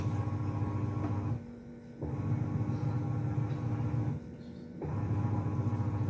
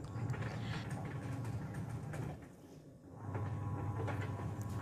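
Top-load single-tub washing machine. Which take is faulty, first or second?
second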